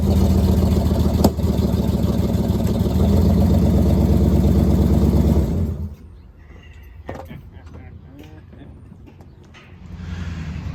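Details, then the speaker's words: 1969 Pontiac Firebird with original numbers-matching drivetrain, run after sitting since 1994: steady, even V8 rumble for several seconds, then drops away to quiet; runs cleanly with no miss or knock, normal. "20 some odd years of sitting, it not only did it start and run, it actually moves."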